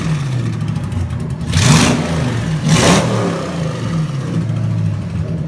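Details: Junkyard 2009 5.7 Hemi V8, about 80,000 miles, with Hotwire harness and 09 Challenger PCM, on a run stand with fans running: steady idle with two quick throttle blips rising and settling cleanly back to even idle. Normal idle and revving.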